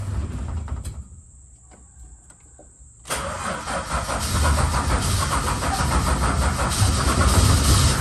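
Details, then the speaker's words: VH Charger with no choke, after starter reinstall and new starter relay: slow cranking with sharp coughs blowing back through the carb, then catches and runs rough; hard starting. Owner suspects timing is out, possibly a vacuum leak; unconfirmed. "okay so we're getting blow back through the carving it's not really starting that easy because it doesn't have it doesn't have a choke um i reckon timing's out and that's what's coughing back through the curvy"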